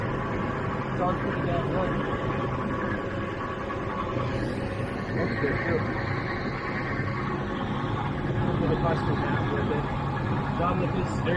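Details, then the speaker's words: 2010 Ford 6.8L V10 Triton van after extracting broken exhaust manifold studs and refitting the manifold, cold start recorded by the passenger-side tire: even, smooth idle with no ticking or puffing at the manifold; quiet, no exhaust leak. "I'm going to fire it up. Nice and quiet."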